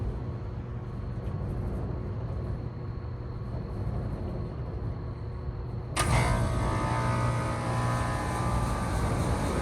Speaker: that was a quick startup of I think this is an early 2010s, late 2000s Goodman RTU.